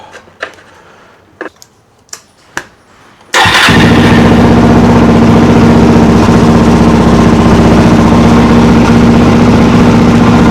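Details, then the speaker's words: Single-cylinder motorcycle after carburettor rebuild, not yet warm or tuned, bogs: cranking clicks, then loud fairly even fast beat with faint stumble; owner suspects lean running or fuel supply, unconfirmed. "I reckon she's probably running a little lean."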